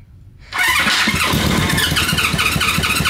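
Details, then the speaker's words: 1972–74 Honda CB350F inline-four 350cc, sitting since the 1980s, timing possibly off, oil added to two weakest cylinders: after a quiet moment it catches and fires unevenly three to four pulses a second, running roughly and briefly while cranking. "it ran for a"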